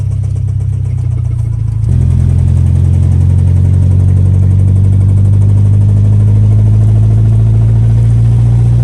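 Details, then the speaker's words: Track car that sat about two months, driving home after a track day with a manual gearbox: heavy rumbling with an uneven rattle like a box of marbles, worsening, heard differently with the clutch in. Engine knock; the engine was blown, transmission doubted. "I'm very close to being home, and this thing is knocking worse and worse. It literally sounds like a box of marbles just down there."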